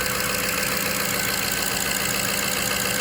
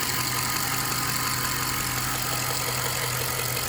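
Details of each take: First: 2003 Jaguar XJ8 (X308) V8 after replacing bank 2 upstream oxygen sensor (P1647), not yet at full temperature, some coolant lost: even, steady idle with constant hiss, no stumbles or knocking; healthy idle. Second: 2003 Jaguar XJ8 (X308) starting on battery after days on charge: steady idle with busy ticking clatter about three per second on top; something sounds off, cause unclear.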